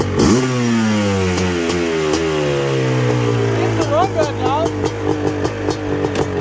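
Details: Suzuki LT500R Quadzilla 500cc two-stroke, FMF pipe, airbox lid off, 39 mm PWK-style carburetor, 0.5 mm over bore, around 190°F: rips through the revs with a clean steady wail, no sputter; jetting sounds right.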